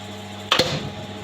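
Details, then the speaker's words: New star-delta starter panel with MNX 110 contactors, tested without motor load after fixing a neutral fault, all three phases present: crisp double clack as contactors pull in, then quiet steady hum, switching to delta after a delay; normal star-delta starter operation. "अब इसको हम on करेंगे। यह on हो गया। कुछ देर के बाद लेना चाहिए डेल्टा।"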